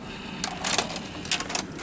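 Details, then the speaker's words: JVC HR-S5400U Super VHS VCR after repairing the broken slider tab by re-looping its spring; short whirr with crisp clicks as the carriage moves and releases, a clean eject with no grinding or stalling. "plays again and let's see will it eject yes it will"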